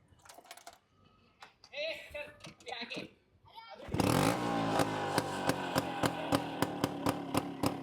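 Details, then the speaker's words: 1998 Bajaj Chetak scooter, silencer completely rusted and shaking once started: after a quiet start, engine catches and runs harsh and loud with sharp regular exhaust cracks; loud exhaust from rusted silencer. "Silencer पूर्ण गंजलाय आता. Solid गंजलाय silencer एकदम. आणि गाडी सुरू केल्यानंतर हे पण हलतंय."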